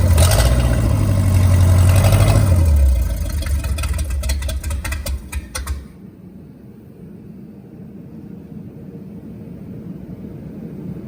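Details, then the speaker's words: Starboard boat 454 V8: fires and revs, then a sharp pop every rotation at idle, about three a second; some cylinders running cooler, fuel starvation suspected, later traced to a blocked carburettor primary jet. "I'm gonna see if I can't let you guys catch that pop that it stood on every rotation let me see if I can get it on film here"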